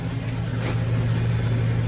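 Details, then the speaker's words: 2000 GMC Sierra 2500HD, new copper-nickel rear brake lines and fresh differential fluid, on stands in drive, two-wheel drive, rear wheels spinning: smooth steady low hum, no whine or clunk; drivetrain and differential normal. "So far, it runs pretty good. Runs pretty smooth, so you cannot hear any noise. Pretty smooth, guys."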